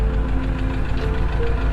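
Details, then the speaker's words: 2003 Mercedes-Benz SL55 AMG after engine failure following performance mods, with oil in fuel and full white smoke from the exhaust: rough V8 idle with deep steady knock repeating with engine rotation; called rod knock, overheating suspected. "hear that, that's rod knock."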